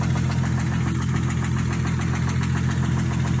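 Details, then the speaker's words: 2012 Ford Mustang 3.7L V6 at idle: deep regular knocking about three or four a second tracking the engine beat; owner suspects rod knock, not confirmed. "YouTube, y'all think that's rod knot? Does that sound like rod knock to you guys, or I truly don't know. But I'm thinking it's rod knock."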